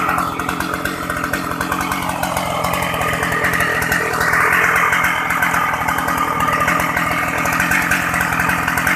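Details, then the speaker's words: Shindaiwa 757 two-stroke chainsaw, used, easy starting, oil pump working; crisp, even two-stroke buzz holding steady revs without stumbling or misfires; normal running. "Máy thì nhạy nổ êm, bơm nhớt ok luôn mọi người nhé. Nó xài chế One Pro nên là rất là tiết kiệm xăng. Tua máy cao, máy mạnh, bốc. Máy êm mọi người nhé."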